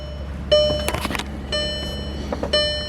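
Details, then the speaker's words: 2014 VW Passat TDI four-cylinder, door left open during injector coding with a scan tool: clear chime repeating about once a second with handling noise between; door-open warning chime. "This is really annoying, but it's too hot to close the door."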